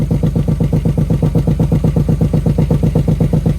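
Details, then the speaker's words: VT V6 Commodore, about 260,000 on the clock, first start-up after sitting bone dry, fuel poured into the intake: deep, even exhaust throb while running rough, dies when revved; owner suspects the muffler is shot. "I'm going to guess I'm going to guess the muffler's shot. But it's running."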